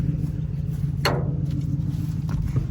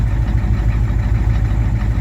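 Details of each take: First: 1987 Ford F-350 diesel sitting 8 months, batteries charged about an hour, only about 9 volts while cranking, no ether yet: slow, dragging cranking about two turns a second with brief catches but no firing; long crank, no start. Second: 1987 Ford F-350 diesel after sitting 8 months, started with ether, restarting on its own without a boost; wiring issues noted: deep, even idle with steady low rumble, no misses or knocks; normal idle.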